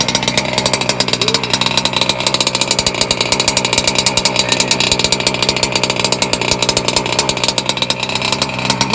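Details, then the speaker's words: Small two-stroke on its first gallon of 24:1 break-in fuel, set rich; a buzzy high-pitched idle with slightly uneven, burbling firing, expected to clear up once leaned and run at higher RPM. "Now, don't worry, all that shit's gonna get cleared up. Once we start leaning her out a little bit, once she starts getting some RPMs, it's gonna clear itself. Little by little, it'll clear itself."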